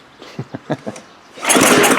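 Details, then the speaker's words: Gravely power brush sweeper, unrun 10 years, choked at half throttle: four quick recoil pulls with dull compression puffs, never catching, then a rough puffing rush from the exhaust, likely rust and junk; cranks without starting, carburetor bowl suspected clogged. "Puffing something out the exhaust like there must be rust in there and junk."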